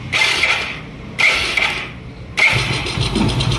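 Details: Motorcycle self-starter after replacing a bearing in the starter motor: three short bursts of clean starter whir, engine catching each time, earlier noise gone; normal cranking after repair.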